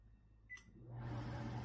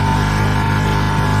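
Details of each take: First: Microwave/range-hood combo after tightening loose screws causing resonance in the hood fan section; keypad beep, then smooth steady low hum with no rattle or buzzing panels. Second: Combination microwave and range hood running its hood fan: a loud, steady droning hum as the top vent, back and liner panels resonate; the microwave side is quiet, and fan-mounting screw tightness affects the noise.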